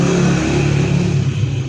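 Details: Chinese 78cc Honda CD70-type motorcycle after refitting timing chain tensioner rod bolt: small single-cylinder runs with steady low hum, no rattling or ticking on top; timing chain noise gone.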